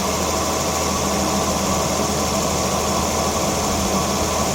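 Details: 2011 Volvo XC60 engine starting and settling into a steady, even, smooth idle hum with no knocks or misses, just after spark plug replacement.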